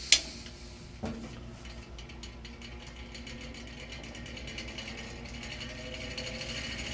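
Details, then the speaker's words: Old electric fan whose damaged, off-center blades need a lot of work; fast uneven ticking and rattling over faint hum as it keeps bouncing around from blade imbalance. "yeah I don't think we're gonna continue this on because this fan needs a lot of work with the blades and it just keeps bouncing around"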